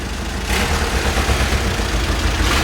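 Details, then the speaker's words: VW Caddy diesel, 490,000 miles: starts on its own and idles with steady clatter, no hunting or stumbling, background hiss. Normal diesel idle. "well it's starting its own no way yeah you can't hear the turbine spinning is that right"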